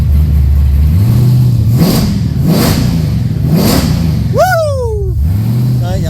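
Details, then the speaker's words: V8 revving while being tuned before a dyno session after injector and AFR adjustments, deep rumble rising and falling cleanly through several blips with no misfire, stumble or hesitation; running properly. "love it I love that sound"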